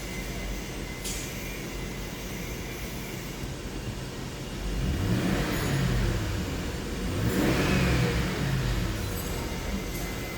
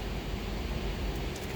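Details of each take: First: 2007 Lincoln Town Car V8 petrol engine after replacing faulty number 7 ignition coil and clearing codes: idles and revs evenly with no stumble, misfire gone; other coil codes came from unplugged coil connectors. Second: 2007 Lincoln Town Car idling with a low, lumpy, uneven rumble from a misfire; scan shows ignition coil codes A, B, E, G (P0351, P0352, P0355, P0357) and P0300, power balance points to cylinder 7.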